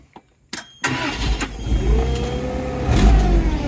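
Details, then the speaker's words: Toyota 3K forklift with 4Y propane engine, once said to be seized and rescued from parting out: starter catches, fires within a second and settles into a steady, low, even run with no knocks or misses; normal start and run. "So, it is running. Hop off here, fire it up, turn it around, drive it back in."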